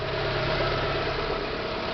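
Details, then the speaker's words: Renault Clio 1.6 16V idling with the accessory belt removed, fitted for diagnosing a noise suspected at the alternator pulley, tensioner bearing or water pump: smooth, steady idle with no whirring or chirping, and the noise has stopped. "não sei se dá para captar no áudio da câmera né mas o barulho parou deixa eu tentar mostrar aqui para vocês o que eu fiz"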